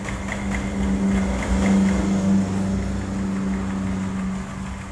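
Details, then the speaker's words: Carbureted Honda Vario 110 scooter hums steadily, then stumbles and chokes unevenly instead of climbing when throttled, hesitating under load; suspected causes: carburetor slide not rising, timing chain jumped teeth, ignition, or faulty charging system despite normal battery voltage. "ada beberapa faktor di motor Vario ini kalau di gas itu ginjal ginjal seperti itu"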